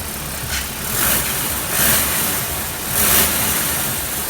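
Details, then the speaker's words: BMW E70 X5 M50d tri-turbo diesel with lack of power: idle with an airy whoosh swelling in repeated surges about every second, a grunting rush; suspected boost or vacuum leak, possibly at one of three servos/actuators. "there's like a grunting know either a Russian aver with is obviously elite from somewhere either a boost leak or a vacuum leak possibly on any one of the three servos and actuator"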